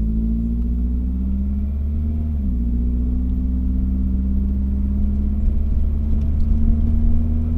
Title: Misfiring